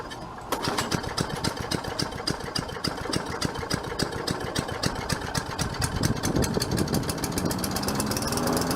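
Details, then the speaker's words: 4.5 HP Tecumseh engine on a Craftsman side-discharge push mower, first start after sitting about 3 years. It catches after a moment and settles into a quick, steady single-cylinder beat with no misses. Slightly smoky, carburetor leaking fuel; normal running. "I'll let it sit there for a minute and see she's a little smoky smoky she hadn't run in a while too so that's all righ"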